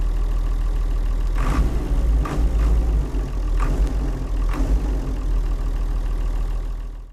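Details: Leyland tractor with rare six-cylinder Leyland 698 diesel, described as sweet, beautiful running; deep, steady idle with an even low beat and a few light knocks from around it before dying away: normal diesel idle.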